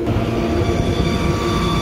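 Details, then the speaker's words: Kitchen AC indoor blower after greasing dry bearings: steady even rumble, no grinding, bearings now quiet; remaining whirring is belt noise from a failing motor pulley making the belt ride funny, new pulley recommended. "The motor pulley's going bad, so the belt's kind of riding funny in there, but bearings sound good. I don't hear that grinding sound coming from there anymore. That is just that freaking belt."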